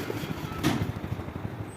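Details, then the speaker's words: Household fan whose noise comes and goes when switched on, found with a damaged blade: soft, regular low thumping pulses under a steady motor hum as it runs. "अब मैं इसको check करूंगा सबसे पहला fold क्या मिला है जो इसका ये पत्ती है जहां से हवा देता है इसमें देखिए क्या हो गया ये देखिए इससे भी साउंड आ सकता है भाई साउंड आ रहा है इसमें से ये दिख रहा है"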